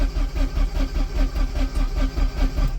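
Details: Porsche 944 Turbo stranded after a breakdown: steady starter cranking at roughly 2.5 beats per second but it never fires. This is after fitting a new rotor arm and a swapped distributor cap, since the old rotor arm was cracked; spark was present on all four.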